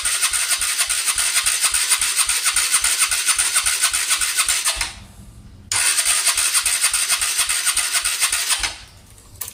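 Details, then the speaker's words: Honda Cargo motorcycle after a fall and rocker/valve clearance adjustment: two bursts of fast, even starter cranking, each a few seconds long, never catching; the spark plug cap had been left disconnected, so no spark and no start. "como vemos vemos que no quiere arrancar vamos a ver si no quedó muy presionado alguna de las válvulas"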